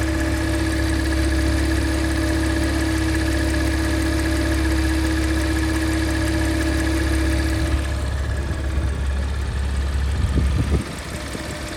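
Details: Porsche Macan S petrol engine idling with a steady mid-pitched hum and a fainter high whine that cuts out, then returns; strange noise, cause unknown.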